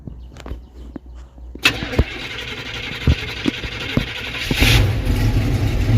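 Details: Carbureted engine of a 1978 motorhome that sat all winter: a few slow cranking beats, then it catches quickly and settles into a steady idle. Normal cold start.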